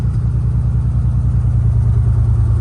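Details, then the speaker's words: 1990 Nissan 300ZX Z32 twin turbo, project car with unsure vacuum line routing and no vacuum showing on the boost gauge: deep idle rumble with an uneven, lumpy beat; misfiring at idle, and a coolant leak was noticed. "Here it go back to missing, which is odd because if I rev the motor, look like I got a coolant leak in there."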